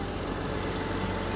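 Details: Vehicle idling after repairing a leaking transmission cooling line, with foot on the brake as it is shifted into gear: a smooth, steady idle with no clunks or whine, and the engine and transmission sound normal.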